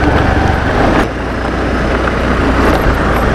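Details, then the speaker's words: Honda Activa 6G scooter test ride on rough road after servicing: steady drone with no tapping from the front guard over bumps, the earlier tak-tak rattle now fixed; no rattle over bumps. "जो पुढचा जो guard होता तिथून टक टक टक टक आवाज येता तर तो त्यांनी क्लिअर केलेला आहे"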